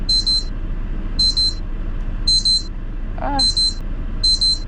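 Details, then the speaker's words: HOVER Air X1 Pro Max drone flying outdoors in cold after low battery warning: five short high chirping beeps about once a second; low-battery warning while returning. "Do you hear it beeping? Where is it? I don't even see it. I know it's flying towards me somewhere."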